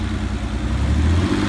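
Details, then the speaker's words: E-Type Jaguar with electronic ignition, after the ignition coil was checked, runs rough: a gruff, uneven low note that swells briefly. A few minutes down the road it pops, backfires and dies; smoke from the intake manifold shows the coil isn't the culprit. "cars honking out wants to die is not running on any cylinders"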